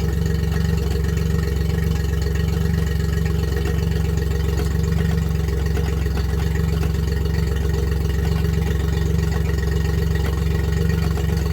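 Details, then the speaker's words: Yamaha four-stroke outboard in forward gear, before a lower unit oil change: a steady idle with a faint regular tick from the lower unit gearcase. The drained oil was milky, and the clicking persisted, though reduced, after the change. "So there's a clicking noise whenever I turn my engine on and I'm moving forward on the lower unit on my Yamaha here, and I'm gonna show you."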